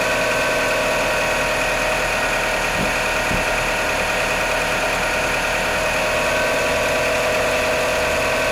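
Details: Mitsubishi Outlander with a 4G63 petrol engine at cold idle. A steady idle with a faint, irregular light knock underneath, roughly three per second; knocking on cold start, cause not yet known.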